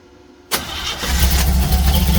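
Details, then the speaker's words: 1936 Oldsmobile engine first run after 25+ years: catches at once and races to a high steady idle that won't drop; carburetor idle set too fast, needs slowing down. "Got to run the carburetor again. That's all right. >> I got to slow the carburetor down."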